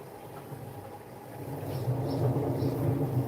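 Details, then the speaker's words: Washing machine on a daily quick programme: 1200 spin, 70°, extra rinse. A low, uneven rumble builds only while it drains; the cause is not confirmed, and worn bearings are only speculated. "Only does it on. Only does it when it's draining."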